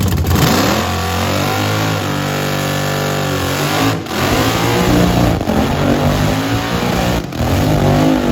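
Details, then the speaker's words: Blower V8 Camaro burnout on brand-new tires: hard revs with rapid juddering thump pulsing under load as rear tires hop violently; bad wheel hop that can destroy parts, suspension needs locking down. "dude look at how bad it's wheel hopping every time you whip it is one of wheel hops yeah we gotta do suspension"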